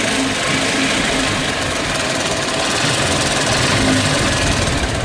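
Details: Hero Honda CBZ Xtreme before repair: loud busy idle with a metallic clatter riding on top; cam chain rattle, tensioner found come apart with its ball fallen out on teardown.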